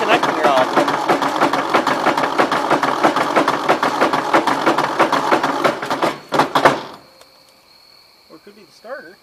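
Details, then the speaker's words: 1953 Ford Jubilee tractor, engine just freed from seizure with penetrant and ATF in cylinders, cranking without starting; uneven heavy knocking about three per second then stopping, owner suspects bad connecting rod or hydraulic pump, unconfirmed. "I don't know about you guys but it kind of sounds like a motor with a bad connecting"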